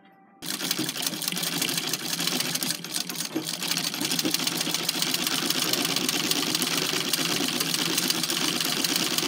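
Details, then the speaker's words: Singer 127 shuttle sewing machine after replacing the shuttle carrier that had a damaged spring and adjusting clearance: fast, even light ticking and whirring, the former clunking and clicking gone; smooth and healthy. "quieter now no clunky clunky clunk"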